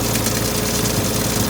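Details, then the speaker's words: Old project car after adding power steering fluid, fixing a leak with a copper washer and topping up low coolant: smooth, steady idle with even pulses and no misses, knocks or whine, far better than before. Normal idle. "Yeah, just chucked some water in it. Water was low. It's already sounding 1,000 times better."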